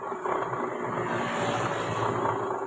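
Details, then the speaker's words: Honda Click 125 scooter before repair: rough rumbling whir from the drive side over the engine note, caused by noisy torque drive bearings; both bearings are to be replaced with Honda parts. "Ang issue mga boss ay may maingay dito sa kanyang torque drive bearing."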